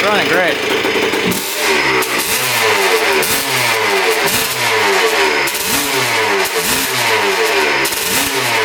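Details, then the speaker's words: 1976 Honda CR250 Elsinore two-stroke dirt bike, running without silencer, fired right up after kicking with slight backfire; very loud, crisp crackle, revs blipping up and dropping back cleanly with no knocking; normal running. "great holy cow she fired right up man does that sound good it's really loud without the silencer like Extremely Loud"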